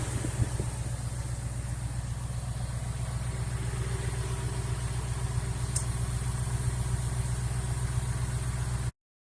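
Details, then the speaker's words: 2014 Ford Mustang GT 5.0 Coyote V8, a month after replacing worn rocker/follower and lifter: smooth even idle with steady low beat and no tapping; ticking gone, normal idle. "So I've been driving this around for about a month now, and as you can hear, no more thinking."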